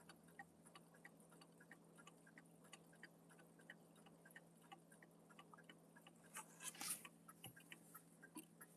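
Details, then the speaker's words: Mechanical clock movement, just reinstalled and out of beat: light steady ticking broken by a short harsh crunch near the end, something binding in the movement; pendulum sits too close, nearly rubbing. "Yeah, it's making a lot of noises as it's ticking. Hear that sort of crunching sound?"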